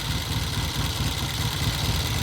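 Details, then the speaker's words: 1972 Triumph TR6 650 twin, 5-speed, oil-in-frame, single carb, idling: low, lumpy idle pulsing off rhythm; left cylinder runs hotter, left pipe blue (lean) and noisy on rev come-down; compression and valve checks planned. "It's just not right. Single carb bike, and the left cylinder is definitely running hotter than the right cylinder."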